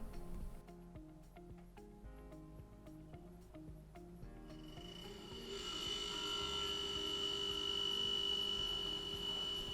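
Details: KitchenAid/Whirlpool refrigerator (e.g. KFIS29BBBL, WRF759SLAF) running normally in diagnostic test mode after the stuck refrigerant 3-way solenoid valve was replaced; background music fades into a steady hum with a thin high whine, even.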